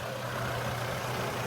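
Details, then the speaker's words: Trailblazer/Envoy 4.2 L after engine swap with exhaust manifold changed, idling smoothly with a steady low hum, no ticking, knocking or stumble; runs well, no check engine lights; normal idle. "So the vehicle runs well, has no issues."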